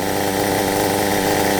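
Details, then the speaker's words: Kyosho MP9 nitro buggy, standard two-stroke engine after tuning, near end of fuel: fast, even buzzing tick-over holding one steady pitch with no hunting or misses; idling cleanly. "Look at this now. It's just sitting there as happy as can be, ticking over."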